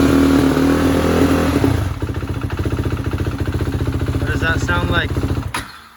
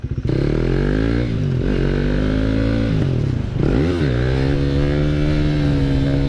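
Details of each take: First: 2016 KTM Duke 390 single keeps stalling while riding on a cold day: idle thumps turn uneven and sag after a throttle blip, then the engine dies and can't hold idle; owner ruled out gas cap air leak; later fixed by a shop. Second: 2016 KTM Duke 390 single-cylinder after a shop fixed its stalling (owner had cleaned injector and throttle body; parts replaced): pulls smoothly through the revs and holds a steady, even drone under way, no surging or cutting out; running normally.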